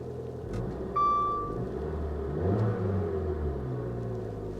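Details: 2010 Infiniti G37 manual salvage car, just started after a hard start, with electrical issues (flashing dash, infotainment cutting in and out, suspected power issue): low engine rumble swells smoothly when revved and settles back, short chime over it; healthy rev.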